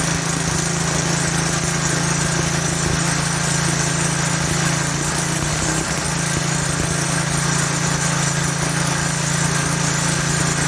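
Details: Lawn edger with 3.5 HP Tecumseh engine after a pinholed primer bulb was replaced: steady buzz for ten seconds without stumbling or dying; runs fine now.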